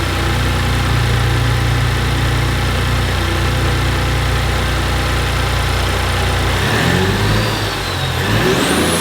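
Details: 2019 Ford Raptor just after installing AMS turbo inlet tubes, before warm-up: steady deep idle, even smooth rumble, no knocks or whistles; it seems better and idles normally.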